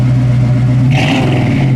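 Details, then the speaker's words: 1968 Mustang coupe, 289 V8 two-barrel, dual exhaust, 3-speed manual, humid day: deep throaty note climbs smoothly on quick blip and settles back to idle without stumble, no smoke; healthy free revs. "Sounds awesome. No smoke, just a little moisture in the exhaust. It's pretty humid today. This thing sounds good, idles good. It's got a nice throaty sound to it."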